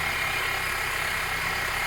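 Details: Steady idle with a constant high whirring hiss over the engine, heard under the hood; screwdriver stethoscope on the tensioner pulley shows it noisy; suspected dry worn tensioner pulley bearing.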